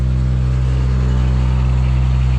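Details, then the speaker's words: Pickup-mounted snow spreader hopper vibrator being tested during snowstorm prep after power applied: strong steady low buzz at constant pitch; vibrator works normally. "We got to see if the vibrator works. All right, power. We have power. Hey, I hear the vibrator."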